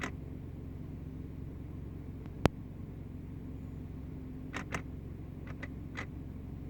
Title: 2010 Subaru legacy noise when idle in park.